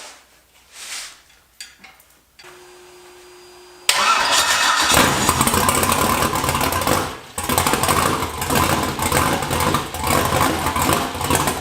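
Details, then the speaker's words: Budget turbo LS V8 build first runs, turbo not fitted, target idle dropped from 850 to 700 rpm: starter whirr, engine catches and settles into lumpy, uneven idle with lazy cam lope. "So take two, I'm just messing with the idle a little bit, see if we can get it dialed down a little bit. And see if you can hear a little bit of cam lobe."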